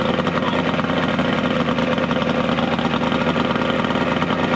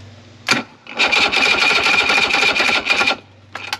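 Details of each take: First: 70HP two-stroke Mercury outboard on a 1967 Duo boat, running on water hose ears with battery, not hot: steady, busy idle with even beat, no misses, knocks or grinding; hard starting but runs very well once running. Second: 70HP two-stroke Mercury three-cylinder outboard on a 1967 Duo boat, not starting from fuel starvation though all cylinders spark: labored, uneven whining cranking for two seconds then stops as battery dies; corroded terminals possibly also blamed.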